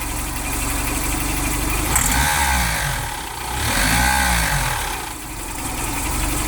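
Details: Mitsubishi Delica with G63B 8-valve fuel-injected engine: regular ticking knock near the camshaft, absent at idle, growing louder as revs climb; persists after replacing all hydraulic lifters; cause unknown.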